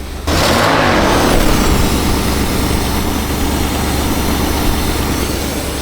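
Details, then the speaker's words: 1960s Ford Thunderbird that sat 16 years, gummy carburetor with rat droppings on the intake: idling somewhat better but still uneven, with a loud raspy chuff at each firing pulse from a bad exhaust leak. "Oh, it's got a terrible exhaust. Sounds like it's idling a little bit better now. It's still not perfect. There's a terrible exhaust leak."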